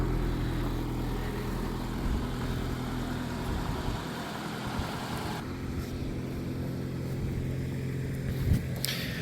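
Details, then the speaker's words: 1984 Dodge Mini Ram van, four-cylinder, parked about 25 years, warming up after starting: steady, even idle now on all four cylinders; earlier startup smoke and missing have cleared. "Well, now it's kind of idling a little better. Was smoking a little on startup and missing. Now it's running on all four and the smoke is gone."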